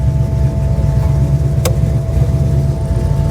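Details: 1957 Chevy 210 barn-find hot rod V8, running after a fuse and electrical toggle switch fixed the no-start: deep steady burble at idle, even low rumble with no misses or knocks.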